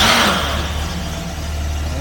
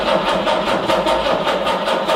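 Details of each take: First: 1968 Jaguar E-type Series 1.5, stored all winter and with new parts fitted, cold-started on full choke: it catches immediately and settles into a steady, even low idle with no misfire; it still wants choke. A normal cold start. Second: 1968 Jaguar E-type Series 1 that sat all winter, old original starter, starting fluid sprayed into each carb: slow, even cranking that never fires or catches. Owner wonders whether there is spark. Cranks but won't start.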